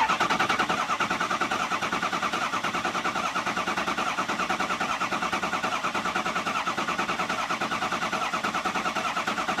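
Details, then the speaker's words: Ford 6.0 Powerstroke diesel after EGR cooler and oil cooler install, cranked in bursts to prime oil: steady starter cranking at about three even pulses a second, no firing, tone changing as base oil pressure builds. "So, I'm going to let it rest and do that another two or three times to get this thing started and primed. We're about ready to get base oil pressure. You can actually hear the difference."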